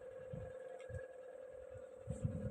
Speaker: yung blower niya baliktad din tapos pipitik pitik Di nagtutuloy kasi nga di nade-detect ng sensor eh yung kanyaang magnetic dito